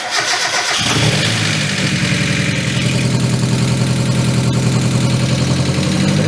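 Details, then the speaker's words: 1.6 TDI engine's first start after head gasket repair: brief crank, then it catches and idles with a light, fast dry-tappet tick before oil reaches the tappets; it is running on all cylinders. "well it starts which is a good start that's that dry taic you can hear y 16 TDI back it's running on them all"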